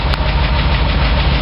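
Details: 1993 3/4-ton truck with 460 V8, idling: even lifter tick over steady idle from new lifters on a known bad cam, not exhaust (exhaust repaired); misfires and bogs in third gear; cam replacement planned.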